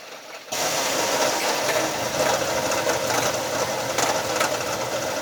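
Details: Nissan Frontier 3.3 V6, loud noise first suspected to be the timing belt: steady raspy whirring rattle over the idle that follows engine speed; it was a worn alternator bearing, now fixed.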